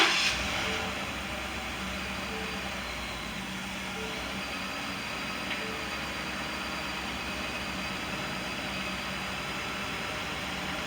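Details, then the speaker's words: 2018 Ford F150 XLT 5.0 after fuel pump replacement for a no-start, the old pump having been found shorted; brief crank, then a quiet, steady idle with no misses or knocks, revved a little; normal start and idle. "starting good now [Applause] i can take this down in there and give it a little gas [Applause] [Music] sounds good"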